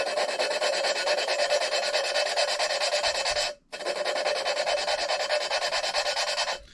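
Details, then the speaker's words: GM LS4 V8 (Grand Prix GXP) cylinder head valve lapping with compound during AFM/DOD delete: gritty harsh rasping strokes about twice a second with a brief pause; compound still cutting, valve and seat not yet mated. "you'll kind of hear it once you start having the two surfaces really start to meet up you'll kind of start to uh you'll start to really kind of hear it smooth out a little bit"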